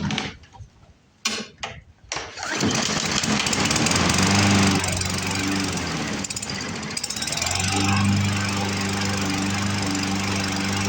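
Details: Poulan Pro push mower with a Briggs & Stratton 550EX engine, before the carburetor repair: it runs on tank fuel after carb cleaner but skips and surges unevenly, won't prime, and the clogged carburetor needs to come apart.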